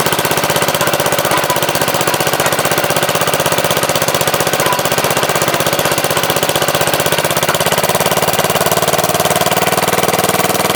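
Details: MTD Wizard lawn tractor small single-cylinder engine after spark plug change: steady, even popping about three pulses a second, strong and healthy; runs really good, owner suspects clutch or transaxle problem with loose front and speed shifters.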